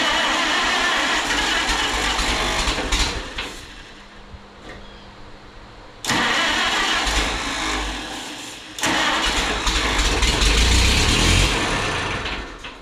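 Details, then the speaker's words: Minneapolis Moline RTE tractor engine after rebuild and water pump work, spark confirmed; starter cranks in steady bursts about 2.5 beats per second but never fires; no fuel reaching engine; cranks but no start. "Yeah, it's gas related. Not getting gas."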